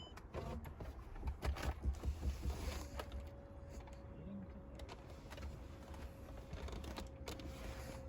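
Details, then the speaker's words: 2006 Mercedes-Benz E55 AMG, key on after a new left-side fuel pump assembly and harness install, no pump prime heard: thin steady one-pitch whine from the rear of the car; source unknown. "i don't know what that whining noise is in the back of the car but we'll figure that out later"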